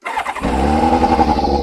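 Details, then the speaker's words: Kawasaki ZZR600 four-cylinder after carburettor resynchronisation and MOT prep; brief crank, catches at once and settles into smooth even idle, now starting first time every time; normal start. "So, now the bike does start and it does start pretty much first time every"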